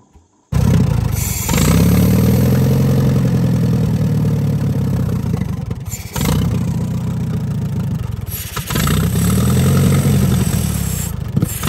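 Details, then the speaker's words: 1945 Allis-Chalmers WD 4-cylinder gas tractor, sat for years, choked after partial carburetor cleaning: catches, runs a few seconds, sags and dies, refires and fades again; fuel starvation, carburetor plugged, likely with rust and water like the fuel tank. "it's plugged it must be full of rust and water like the fuel tank"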